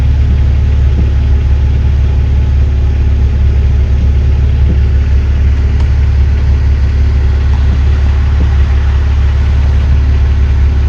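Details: BMW E46 330ci that kept cutting out, after the sticking idle control valve was freed up: a steady, even low idle that holds without dipping or stumbling; idling cleanly and normally.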